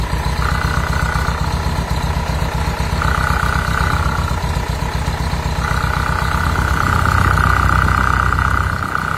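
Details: VW Combi with air-cooled Type 3 engine idling: steady low thumping with a mid-pitched rasp that comes and goes, first thought to be the cooling fan rubbing but judged internal; the noise reduces when accelerating.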